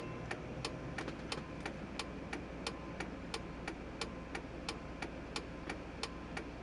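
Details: 1999 Chevrolet Silverado, engine idling: sharp, even ticks about one and a half per second under the dash. The clicking stops when the brake pedal is pressed and returns when it is released.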